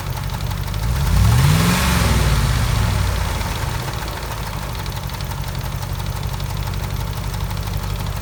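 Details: 2004 Dodge Ram 4.7 V8 with a cylinder 8 misfire, light fairly even ticking about four per second at idle carrying through a quick rev; a shop couldn't find the cause.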